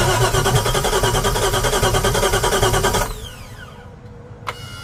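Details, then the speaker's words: Boat engine dry-fired on bare manifolds with no exhaust pipes or catalytic converters: very loud, harsh, rapid unmuffled crackle for three seconds, then shutdown. Described as sounding terrible. "all right so we got no exhaust basically on the other side you got manifolds supposed to be catalytic converters in each hole everything's hooked up i'm just going to fire it off and see what it sounds like"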